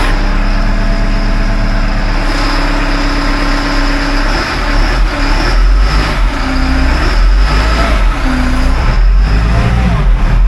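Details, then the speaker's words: Caterpillar wheel loader diesel just after 24V starter replacement; heavy diesel runs strongly and picks up cleanly when revved, even firing, no misses or knocks; normal diesel running. "Key switch is now on. Got lights. And she starts right up."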